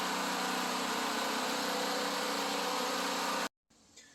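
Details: Generator after long improper storage, new carburetor installed, clean gas via inline fuel filter from another generator: even steady drone for a few seconds, no misses, surging or knocking, then cutoff; running healthy.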